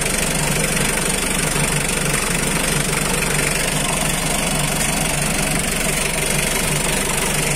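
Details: 2009 Mitsubishi L300 pickup with power steering, diesel: steady, even clatter at a settled idle, no misses or stray knocks; engine running normally.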